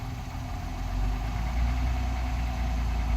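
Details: 2021 Honda Passport, brand-new engine: low, dull idle with loose, irregular knock about four per second at idle and low rpm. Engine knocking at idle, cause unknown.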